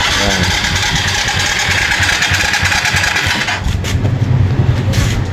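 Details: Yamaha FZ (green plate) cranks, fires and runs roughly for a few seconds, then falters and dies; spark at plug is strong and battery good, so the tank is to be checked for water; misfiring and stalling possibly from water-contaminated fuel.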